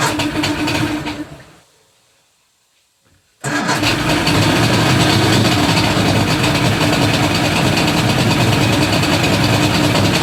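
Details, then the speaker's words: 1978 Evinrude 150 outboard, cold, choke plus a little throttle after priming bulb firm: cranking fades, then the motor catches abruptly into a loud busy run; hard cold start, usually needs throttle. "so it's definitely cold nature um i end up having to give it a little bit of throttle"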